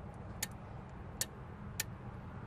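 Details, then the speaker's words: Rule boat float switch in auto mode: three sharp, crisp clicks about half a second apart over a low background hum as the float rises and two wires touch, closing the circuit that switches the bilge pump on; normal operation. "when it goes up like that these two wires touch when you hear that clicking sound which creates that circuit which will automatically turn the bilge pump on"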